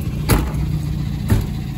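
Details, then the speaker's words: Nissan Hardbody D21 truck after lifter tick fixed: even low idle, no ticking; slight belt whir reduced by loosening belt. "So with the lifter tick's gone, that stupid sound is gone. Oh, that sound was ridiculous."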